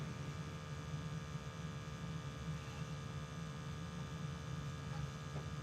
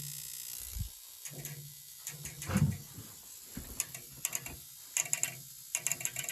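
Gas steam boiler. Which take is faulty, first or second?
second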